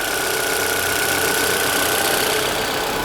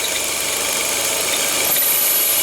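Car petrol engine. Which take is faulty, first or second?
second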